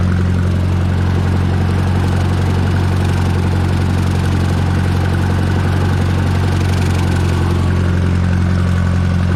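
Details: Minneapolis Moline JetStar 3 Super tractor pulling a bush hog while mowing pasture: deep, even drone holding a steady beat of roughly three pulses a second under load; no knocks or misses, running healthy.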